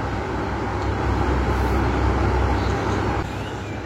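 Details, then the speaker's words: Wall fan (kipas angin dinding) tested after rewiring swing/synchronous motor, fan motor and plug cables, stepped to speed 2 then 3: even airy whoosh over low hum, easing slightly as speed changes, getting faster each step; fan running normally. "Ya, speed 2 makin kencang, speed 3 makin kencang tuh."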